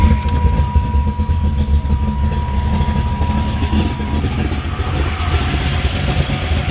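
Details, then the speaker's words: 1991 Camaro Z28, 383 stroker V8 with very low time, steel crank, roller rockers, Edelbrock high-rise intake, MSD box, 5-speed; deep steady V8 burble at idle under a brief chime and handling noise, sounds awesome, normal idle. "car sounds just absolutely awesome."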